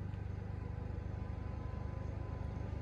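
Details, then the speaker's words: Champion 4250-watt open-frame inverter generator idling up when a 1500-watt heater and 250-watt bulb load is switched on; even low drone with a steady pulse about three beats a second holding firm; normal load response. "you can really hear it idle up at that"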